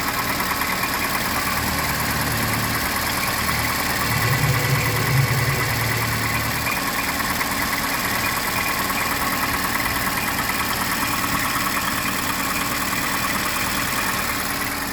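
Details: Petrol engine at idle with a steady, hollow slapping knock, about three beats per second, typical of piston slap; the PCV system also needs servicing.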